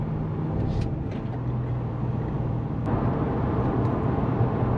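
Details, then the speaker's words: 2014 2WD Toyota Hilux with LS2 6-litre V8 swap and catalytic converters, recorded in the cab while cruising: steady, even low drone with road noise on top; exhaust stays quiet and smooth with a good cackle. "the exhaust is nice and quiet as you can tell you can hardly hear it in here there's almost more wind noise outside it's got a good cackle to it though"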